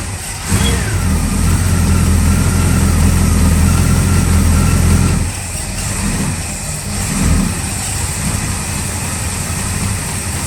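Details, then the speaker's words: 1965 Chevy Nova wagon V8, first start after fitting a Holley 600 cfm four-barrel and Edelbrock aluminum intake, dry carb cranked, timing unset: fires up into a lumpy, uneven idle with a thin steady squeal for a few seconds from the drive belt squeaking; needs timing. "Hey, but hey, it fired right up. It needed a little bit of timing. The belt squeaked a little bit, but hey, I'll take it."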